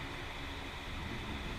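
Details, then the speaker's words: Z front hub spun by hand after caliper and brake service: steady gritty rumble with no clean coast, a bad front wheel bearing; hub or bearing to be replaced. "that's not good so I think tearing this down is the idea"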